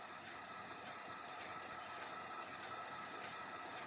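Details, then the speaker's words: Cadillac CTS under diagnosis for a traction control light, engine running, airflow about 5.8 g/s: light quick ticking about one and a half per second over a steady engine; normal EVAP purge solenoid clicking. "You can hear the clicking going off. That's the emissions solenoid clicking."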